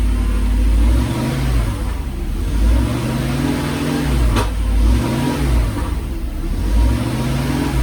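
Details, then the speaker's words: Mercedes SL500 on low gas with a little throttle: revs swell and drop with a sharp pop, seemingly from the front of the engine, shaking hard; owner suspects an exhaust leak or the gas, cause unconfirmed. "Sounds like it's popping from like the front of the engine. I need to like look and see if there is an exhaust leak or something."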